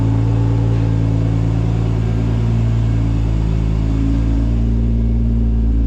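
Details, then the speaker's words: Top Secret Supra GT300 after engine rebuild, road test under load around 1,000–1,500 rpm after street tuning: deep, steady, even rumble with no knocks or ticks; driving much smoother now. "try a load here one and a half thousand one thousand to 100 revs slightly quite nice yeah it's driving much smoother now"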